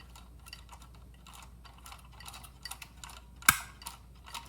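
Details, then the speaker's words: Electron Robot toy mechanism turned slowly by hand, no motor; faint steady gear ticking, then one sharp click as contact touches copper, turning on LED machine gun light during torso rotation; normal switch contact click. "That's the first click there of this piece here touching the copper back there and forming a connection. And that's actually turning on the LED machine gun light."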